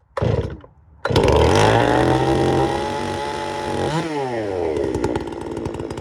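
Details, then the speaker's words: Chainsaw, just after its chain was hand-sharpened, starting after a couple of pulls and running cold with an uneven, burbling, slightly blubbery note; carb not yet tuned perfectly, mixture a little rich, dislikes running cold, needs warm-up. "You have to let them warm up. They don't like, this one doesn't like to run cold because I still haven't got the carb tuned perfectly yet. But it fires up good. It's a little rich."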